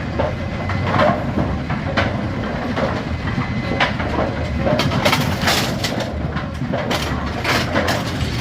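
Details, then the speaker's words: Brunswick A2 bowling pinsetter cycling normally after cycle solenoid replacement (complaint: not cycling on first ball); ball detect beam tripped by hand, machine sweeps and resets with even rattling clanks and thumps, then waits on pins. "we're gonna break the ball detect beam just like a bowling ball would. Trip the ball detect beam. It cycled. Waiting on pins."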